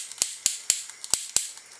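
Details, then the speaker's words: Old butane torch with cracks that no longer holds pressure, gas hissing: sharp dry clicks about every quarter second, five or six in a row, no flame catching; aged igniter clicking without lighting. "now you're supposed to be able to just turn it to the on position and hit the button what's the igniters pretty old"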